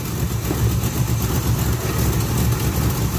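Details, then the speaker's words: 1980 Chevy K10 cold V8 with vacuum-operated Quadrajet carburetor: lumpy, loping low idle with uneven pulses and no fast idle; running rich, fast idle not engaging, possibly the choke not fully on. "sounds like she's running a little fat there either the choke didn't come on all the way"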